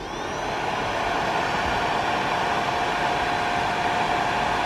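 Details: Suzuki DR-Z4S radiator fan after radiator repair, bench-powered at 12.9 V drawing about 2 A (3 A peak): spins up to a smooth, even airy whoosh with no ticking or rubbing, quieter than a KTM fan. Normal cooling fan operation.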